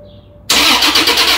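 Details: 2015 Toyota Tacoma, 175,000 miles, full rusty fuel tank: starter spins the engine at a steady beat but never fires. Crank-no-start because the failed fuel pump isn't running despite good power and ground.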